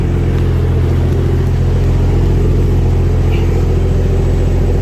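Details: Barra-swapped Toyota JZX100 on standalone Barra harness, just after first start of the swap: deep, smooth idle rumble stays perfectly even with no misses, ticks or surging; owner says motor sounds mint. Normal idle.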